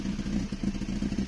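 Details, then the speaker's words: Toyota 2E with 272-duration TRD-spec regrind camshaft, first cold startup after setting valve clearances: uneven loping idle that surges and dips, needs throttle to keep idling; normal lumpy performance-cam idle. "she doesn't want to stay down she's she's definitely i can feel her man she's a um pretty uh lumpy cam for sure"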